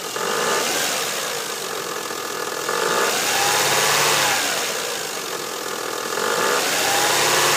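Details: 2000 Mazda 626 V6 (K engine), about 100k miles, idling and revving with a light, uneven ticking of about three per second; noise began a day or two earlier on startup and was less pronounced once warm in 70s ambient; cause unknown.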